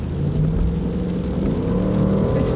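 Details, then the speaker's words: Jeep with 142,000 miles after the computer memory was reset to factory settings and an electronic device drawing too much power was dealt with: smooth, steady engine hum pulling under throttle with the AC on, no shaking, misses or stumbling; engine running healthy. "still got some power. You can hear that engine humming. And notice even with the AC on, it's not shaking anymore."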